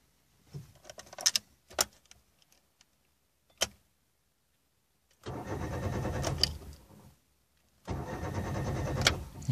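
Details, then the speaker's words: Daewoo Matiz, 10A fuel pump fuse removed to relieve fuel pressure before pump filter replacement: two spells of about two seconds steady starter cranking, engine never catches; no-start confirms fuel pressure relieved. "двигатель не запускается. Это означает, что мы успешно сбросили давление."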